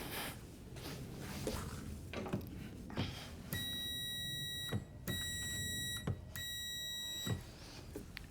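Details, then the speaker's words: Horn circuit test, wire back-probed with a Power Probe: three clean horn blasts about a second each with short gaps, strong and even; three power cycles confirm power reaching the horn, so the circuit works normally. "Okay, so I honked the horn three times in a row. We got three power cycles on there. We know we've got power for the horn circuit to the horn."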